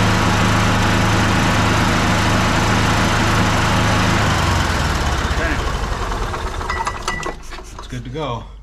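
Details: 2007 Club Car DS gas golf cart after battery replacement (new battery), engine started: engine putters evenly at a steady low beat for four seconds, then cuts off cleanly; normal running.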